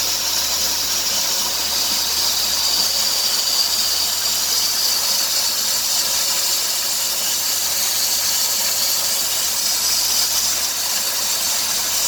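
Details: 2003 Dodge Grand Caravan 3.3 with 372,528 miles, accelerating: a steady high-pitched hiss with a faint chirp, louder near 2000 rpm, which stops when the belt is sprayed. The idler pulley, tensioner pulley and power steering pump are already replaced; the owner suspects the serpentine drive belt.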